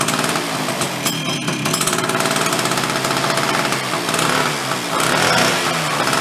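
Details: Late-1970s Chrysler Sno-Runner, abandoned 45 years, after final repairs and a cold start with the decompression valve: busy, raspy two-stroke clatter holding a steady, fairly even speed without cutting out; it runs fine while clearing out.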